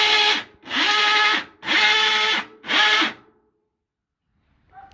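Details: Maytag top-load washer during the wash/agitate cycle: loud, harsh grinding bursts about once a second, each agitator stroke rasping as the worn clutch drags. Fixed by replacing the clutch (splutch).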